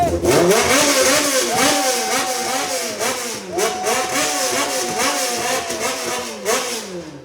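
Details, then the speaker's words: Reliant with a swapped-in motorbike engine, fuel system still temporary: fires instantly on the starter button, then several quick, clean blips that rise and settle smoothly with no stumble. Starts and revs healthily. "but just an example of how well it starts now listen to this so we've literally got the button here"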